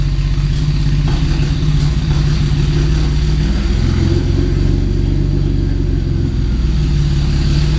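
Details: 1990 Mercedes-Benz 300E, long-sitting, running after fuel injector cleaning: very loud, deep, raw engine rumble with a rough throb and no muffling; catalytic converter and entire exhaust system downstream of it were stolen.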